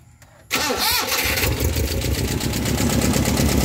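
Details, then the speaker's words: Toyota 5K engine in a Lite Ace: cranks, catches and idles with an uneven, stumbling beat, misfiring on the number four cylinder due to leaking compression; before a compression test. "Yan. Nakita niyong palyado 'di ba?"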